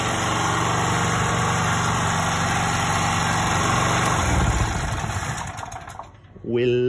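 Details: 2.8 kVA Fireman gasoline generator that would not start, after setting valve clearance: single cylinder settles into a steady, even idle with no ticking or knocking, then winds down; runs cleanly, normal idle.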